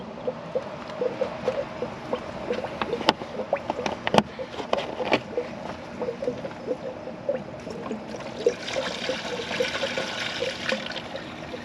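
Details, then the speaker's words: 2006 Chrysler 300 SRT8 after camshaft install, engine off, bleeding the cooling system; irregular gurgling and spluttering as trapped air comes out of the coolant bleeder until a steady stream flows; trapped air in cooling system. "You'll hear all the trapped air coming out of there. And once it's a steady stream like that, just put your plug back in."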